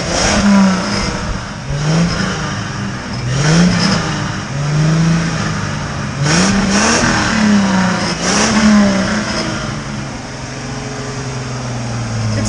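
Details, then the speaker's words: 1995 Ford Mustang V6 coupe, catalytic converters removed, after a Seafoam treatment through a vacuum line, white smoke, a rattle said to be normal. Repeated blips over a deep exhaust rumble, pulling cleanly; healthy engine revving. "got a pretty good sound ever since we took the cats out of it. It's not bad, actually. It's got a little bit of a rumble."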